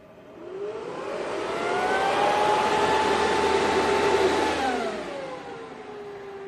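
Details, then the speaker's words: Bitmain Antminer S9 powered up, no internet connected: fans spool up with a loud whoosh and steady tone, hold at full speed, then ease slightly. Fans healthy. "Well, again, I don't have any internet, so I don't really know exactly how far we're going to get with it right now. But it sounds really beefy, guys."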